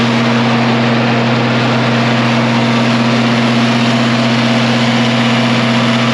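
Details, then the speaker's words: 1966 IH 1206 Wheatland diesel tractor on dyno after head gasket repair, warm, idled back to partial load to cool down; steady even drone with constant low hum, no knocks or misses; normal running. "we're doing good let's go take some St off here that's Full Throttle about 75% load"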